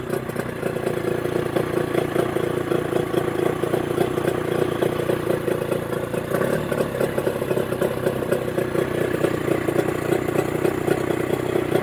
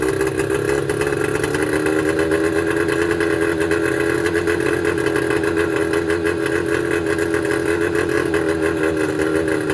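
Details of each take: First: Mercury 25HP two-stroke outboard in neutral after Boyesen power reeds installed: even, fast putter holding steady speed without stumbling or hunting while idle is adjusted; running well. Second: Mercury 25HP two-stroke outboard idling with uneven, wavering buzz; rough idle caused by damaged reed valves, before installing Boyesen power reeds.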